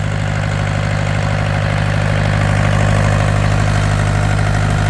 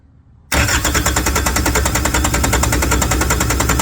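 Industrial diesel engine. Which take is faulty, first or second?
second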